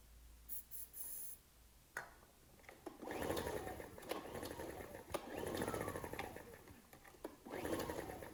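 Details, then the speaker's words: Ryobi RIG1000 inverter generator, on spray starting fluid, choke on and off: three long recoil pulls of quick chuffing dying with no catch; good compression, sounded promising; cranks but will not start. "i was trying all sorts of choke on choke off that's a good compression oh oh sounded like it wanted to go then promising"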